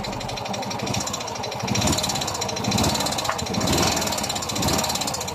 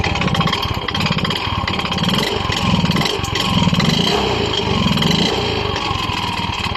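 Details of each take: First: Yamaha Mio i 125 scooter after engine repair for head ticking and piston slap: steady busy idle with an even beat and no heavy knock, engine running smooth like new. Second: Yamaha Mio i 125 scooter, sudden engine noise that began a few weeks ago: loud, rough clatter over the whole run, too harsh for the engine; owner unsure whether piston slap or connecting rod, disassembly planned to confirm.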